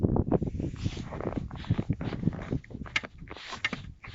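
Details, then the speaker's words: Lifan X50 at about 79,165 km, at −17 °C: dull, irregular metallic knocks and clunks from the left front as the body is pushed up and down; owner suspects the worn front ball joint, and the knock stopped after replacement. "вот этот стук скорее всего идет от шаровой от шарового шарнира потому что под машину я тоже залез также было холодно руку приложил шаровой и начали мне ее трясти"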